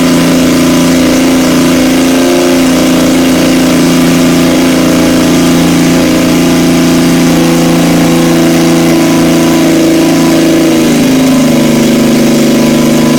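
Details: 1977 Yamaha XS750 four-cylinder, running after 30 years' storage with rebuilt carbs, velocity stacks, fresh oil, new plugs, auxiliary tank: steady run, pitch rising and falling with throttle; sounds healthy, normal running.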